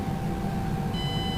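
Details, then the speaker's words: Axial SCX24 crawler on a bench test at low throttle: thin steady speed controller whine over the motor hum with higher tones joining in, no wheel engagement yet. "there's the wine and it that wind continues you can just hear it it's fairly quiet there like it's not too bad there but there there's that wine hopefully you guys can hear"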